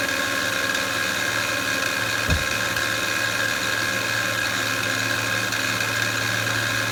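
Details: 2007 Honda Pilot EX-L with 282k miles: a steady, even engine humming noise that recently started, heard over the idle with a faint high whine on top.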